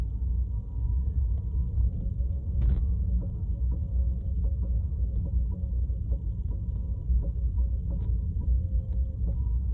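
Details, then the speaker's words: Tesla Model 3 at 7–8 mph just out of the garage in the early morning: low road rumble with dull thumps each time the accelerator is pressed and released. Source unclear. "Okay, that was the sound that I recorded. I just came out of the garage. I'm going at 7 to 8 miles per hour, and the thumping noise can be heard repeatedly if I press on the gas release, press on the gas release, press on the gas release."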